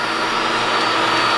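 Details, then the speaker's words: New QuickLift screw air compressor in shop, replacing very loud old unit, first run: even steady hum with constant whirring tone, no clatter or pulsing; quiet, good pressure, normal running. "Okay, the air compressor is turning on. Air compressor is running. I can hear it. But I can hear myself think."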